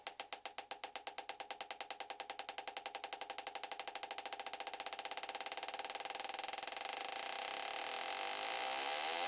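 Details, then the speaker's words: GM coil-near-plug ignition coil (Yukon D-585) on bench test, 12 V with control signal, plug gap about 0.130 in, 5 ms dwell, RPM cranked up: sharp spark snaps speed from about three a second to a steady buzz, coil firing cleanly at high rate. "Okay, last test we're going to do, is just for fun, is we're going to crank up the RPM to see how this coil reacts to that."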